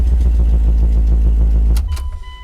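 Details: 1999 Dodge Dakota R/T, 5.9L Magnum 360 V8. First start after hack aftermarket stereo and alarm wiring was removed and the wires resoldered. Strong, even cranking pulses for about two seconds, then the engine noise cuts off and a door chime pings: starts normally.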